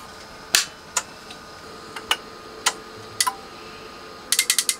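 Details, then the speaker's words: Denafrips Athena audiophile preamp after repair, input relays switching with crisp, sharp clicks, singly then a quick run of about five, over a quiet background; all inputs working as they should. "oh listen to that that's really nice clicking"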